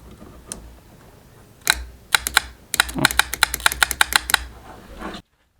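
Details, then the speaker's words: 1993 Evinrude 60hp two-stroke outboard: sharp dry clicks in bursts, solenoid working properly with no cranking; no power reached starter, so fault traced to key ignition switch. "The clicking sound you can hear is the solenoid working properly, so that suggested that the problem was with the key ignition switch."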